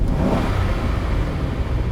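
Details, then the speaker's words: Engine with mechanical returnless fuel system after new fuel pump install, fuel pressure about 55 psi, dropping only to about 50 on snap versus 35 before: quick clean rise on snapped throttle, no stumble; normal snap throttle rev. "Some quick snap throttle tests. This being a mechanical returnless system, we might see some momentary drops, but we don't want to see it dropping down to like 35 like we saw before."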